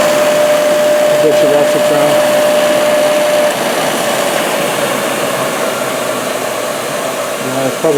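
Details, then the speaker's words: Used 1998 Workforce 8-inch bench grinder, 120 V 5 A, with wire brush and stone wheels, on a 20 A outlet: steady high whir with a clear tone, no rattle or wobble; normal bench grinder running. "so 1998 hey it still works good things are probably even built built better back then"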